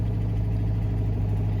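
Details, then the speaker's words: Citroen 2CV carbureted engine just after starting with manual choke pulled: steady fast low drone with no dip or hunt, revs too high until choke is pushed in and they drop; high idle from excess choke. "as you can hear now the revs are picking up and they're probably a little bit too high so i'm just going to push the choke in a little bit and you can feel them dropping off"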